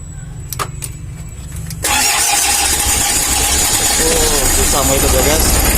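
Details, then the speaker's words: Old Mitsubishi L300 diesel with injection pump timing jumped a tooth: after the starter whirs it catches and runs harsh and uneven with a loud clacking knock, very rough, before tune-up. "Ini sepertinya berat, teman-teman. Di sini, teman-teman. Sangat kasar."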